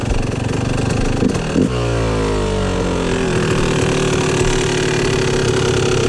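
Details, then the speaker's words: 2004 Yamaha YZ250 two-stroke after leaner jetting, air screw at 2.5 turns out: settles from a blip into a low, uneven, blubbery idle that lacks a crisp ring-ding; it still seems to run rich, cause not yet found. "It just doesn't sound super crisp to me. It should have a nice titting titting."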